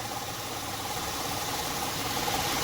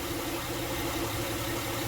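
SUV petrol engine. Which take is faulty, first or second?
first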